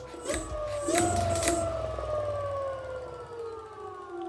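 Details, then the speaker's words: 2400 W dual-motor electric scooter with a rear motor needing bearings. A single motor whine climbs quickly, then slowly coasts down with no second motor heard: the front hub motor isn't starting, cause unknown. Limiter wire removed, otherwise 30 km/h. "Tôi không biết tại sao động cơ trước lại không hoạt động. Tôi không biết nữa."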